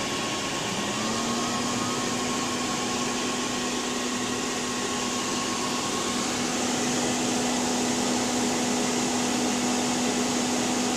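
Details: PowerMac G5 (A1093, single-core 1.8 GHz) won't start: steady loud fan roar with a faint tone that rises and settles in the first second, no startup chime; cause was RAM banks not filled in pairs, and it ran again once corrected.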